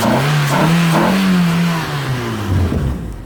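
Cold engine climbs briefly, stumbles unevenly and sags back instead of revving cleanly; a misfire holding it back.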